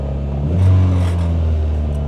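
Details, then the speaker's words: Infiniti G20 with SR20VE engine, not run for years, just started, not yet at operating temperature: steady low hum, a short lift in revs, then back to an even run; sounds sound and unstrained. "So it starts that that was that was the biggest concern I had. Man, that's awesome."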